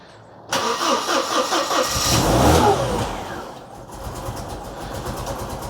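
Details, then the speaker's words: 2CV-based Falcon S kit car abandoned 23 years, cold first start of the day: catches with a lumpy, uneven beat then rough patchy idle, seemingly not on all cylinders; misfire suspected, later sounding like all cylinders firing. "oh dear that's not quite all cylinders is it could be one"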